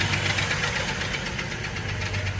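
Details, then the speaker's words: Car engine low on oil (takes 5W-30): quick, even ticking over a steady idle hum, heard as a misfire-like noise; attributed to valve lifters starved of oil. "means that it's the valve lifters because I get here when I'm let's turn it off and then put some one engine oil in it"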